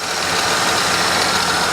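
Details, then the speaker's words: Holden VT Commodore (2000), about 144,411 on the trip meter (which may be faulty), started on the second try: steady, even, hiss-heavy idle with no knocks, ticks or misses. The engine is quiet and healthy at normal idle. "But the engine, now I've had it running, it's actually quiet."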